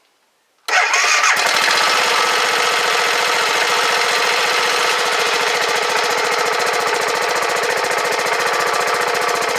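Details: 2009 BMW G650GS single, stored five years without fuel, with a new battery and fresh fuel, throttle untouched: it catches at once and settles into an even, quick putter with no knocks; a healthy start and idle.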